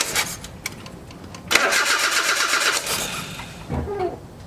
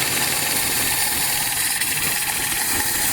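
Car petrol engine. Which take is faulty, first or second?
first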